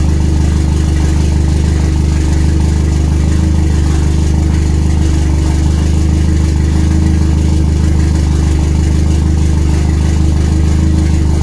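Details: RWD turbo Nissan Micra with K10 conversion, first start after fixing a failed injector O-ring fuel leak; loud, deep, chugging tractor-like idle with heavy low drone; rough idle, cause unknown.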